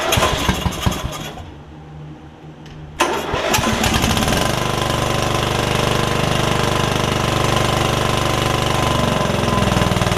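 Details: Free Yard Machines riding mower, single-cylinder engine that had filled with water after sitting with air filter off, first start after revival, valves not gapped: cranks, briefly stalls, then fires to a slightly uneven thumping idle; owner suspects running rich, rough running.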